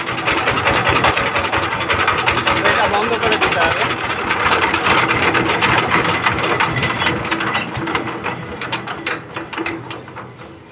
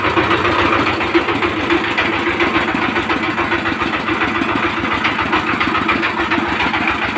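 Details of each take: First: 20 hp single-cylinder Chinese diesel power tiller engine after valve clearance and nozzle adjustment, air cleaner off; steady even clatter about 3.5 beats a second, earlier drum-like thumping gone; healthy normal idle. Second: 20 hp single-cylinder Chinese diesel power tiller engine before valve clearance adjustment: rough uneven idle with tapping knock and occasional stumble, a thumping, drum-like knock from incorrect valve clearance; runs smoother once adjusted.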